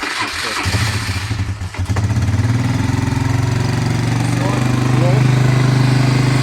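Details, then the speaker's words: ATV CVT variator after replacing a failed bearing, cover on three bolts: engine cranks, catches and settles to a steady, even idle with the earlier rustling gone. "а сейчас все уже мягенько работает все хорошо проблема была именно в подшипнике"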